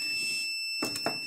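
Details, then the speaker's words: 12 V modified-sine 4000 W inverter after repairing burnt output MOSFETs, on a weak battery: steady shrill whine with a higher overtone; low-battery alarm due to insufficient current, needs a 100 A-plus battery. "Ah tá já tá funcionando pessoal por que que ele tá fazendo se ruído porque a bateria muito fraca essa inversor precisa de poder 100 amperes para mais parar de fazer ruído para acender lá de cima OK já fazer esse ruído por causa da Baixa corrente"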